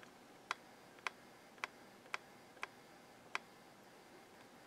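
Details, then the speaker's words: Realistic LAB-2200 linear-tracking turntable (1987) tonearm sled mechanism run on 6 V bench supply: sharp dry clicks about twice a second and thumpy noise, briefly smooth; owner suspects old grease or dirt lodged in the gears, needing disassembly and regreasing. "okay it this something may be stuck in the gear because it's making a thumpy noise now cleaned itself went smooth that time let's try it back again a funny noise"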